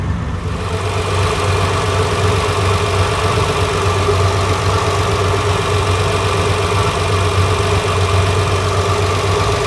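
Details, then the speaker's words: Ferrari 330 GTC V12 at idle, heard at the carburettor tops during recommissioning: deep slightly lumpy beat and intake hiss, carburettors running rich; mixture screws leaned off, revs rising as adjusted. "yeah these are uh running rich"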